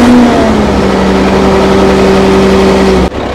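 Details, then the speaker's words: Old Fiat-Allis bulldozer, roughly D6/D7 size, six-cylinder diesel, probably not turbocharged, sat in the bush for years; holds a steady high-speed even drone at full throttle, then shuts off abruptly; normal running after long storage. "well how's that she's actually running how good is that after all these years of sitting"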